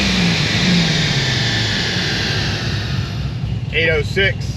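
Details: Supercharged LS7 on the dyno: pitch eases down smoothly from high revs with no stumble or misfire, no longer breaking up high (previously broke up around 6300–6400 rpm); clean, healthy pull.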